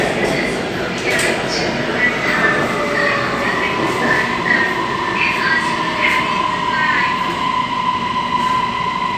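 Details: Bangkok MRT Blue Line train running between Kamphaeng Phet and Bang Sue: steady rumble with wavering high squeals drifting over it; odd running noise, cause unclear.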